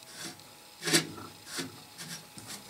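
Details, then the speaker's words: Antique Essex Stirling hot air engine, partly disassembled, turned slowly by hand: soft irregular scraping rasps, displacer rod suddenly very stiff; owner suspects displacer rubbing the end of the casting, possibly warped or bent from overheating. "and as i rotate it it sounds like the displacer might be rubbing the side of this end of the casting"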